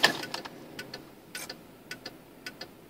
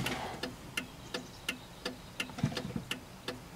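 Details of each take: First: 1995 Cadillac Fleetwood, left turn signal after being outside in rain: paired relay clicks repeat roughly twice a second, well above normal flasher pace; hyperflash from a broken bulb socket contact. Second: 1995 Cadillac Fleetwood left turn signal after repairing the bulb socket: crisp, even clicks about every third of a second, steady like the right side, no speed-up with brake (previously fast); normal flasher.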